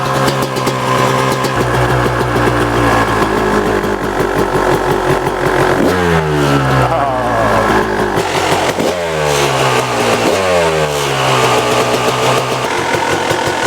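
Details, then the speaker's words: Barn-find 1999 Kawasaki KX250 two-stroke motocross bike, started and revved in about 90°F heat: crisp blips rising and falling with each throttle snap, returning to a steady idle. It runs strong and healthy. "runs like a beast."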